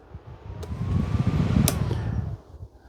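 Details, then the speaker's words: Charity-shop electric fan, looking hardly used, run on speeds 2 and 3: even, steady low whoosh of air with a faint casing rattle; quite powerful, not super loud, sounds new; normal running. "2, it's quite powerful. 3, fantastic, nearly good enough for a hovercraft."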